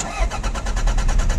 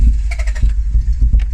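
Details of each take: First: Mk2 Toyota MR2 cranked for the first time after sitting 14 years: a steady fast starter chug, about nine beats a second, with no firing catching. It turns over but won't start. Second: Mk2 Toyota MR2 sat 14 years, recommissioned with fuel added and spark plugs refitted: a few ragged firing pulses over a low rumble, then it catches and runs unevenly on its own; engine starts.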